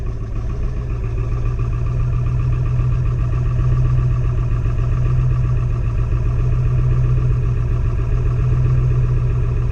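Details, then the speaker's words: 3500 diesel gin pole truck, just started after hard cranking: steady even idle with firm low drone, settling slightly higher on its own; normal cold-start fast idle. "It's even trying to high idle on its own. That's probably good."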